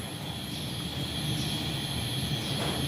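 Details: Portable picnic gas stove that had weak flame and wouldn't turn up, after clearing rust flakes blocking the gas jet hole: a strong, steady rushing roar holds evenly for three seconds without sputtering; full flame restored.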